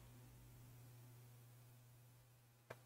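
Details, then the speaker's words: WD external hard drive, earlier appearing faulty, powered from a 12 V bench supply instead of its own adapter: quiet steady hum spinning up, then soft head clicks; drive recognized normally, so the original power supply is at fault. "and I can see the disk is recognized as a device. Okay, there is another problem with the disk, with the partition of the drive, but the disk is recognized normally."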